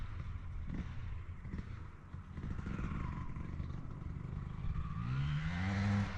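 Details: 2003 Honda CR250R two-stroke, test ride: pulls crisply down low but the note flattens and stalls out as revs climb. Bogging at high rpm; owner suspects the electronically controlled power valve is misadjusted, or the engine is loaded up.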